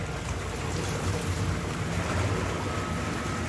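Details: Newly installed American Standard whirlpool tub model 2425 L/V RHO running with the heater on, no leaks and air added to the jets: steady low pump rumble with rushing, bubbling water and air. Normal whirlpool jet operation.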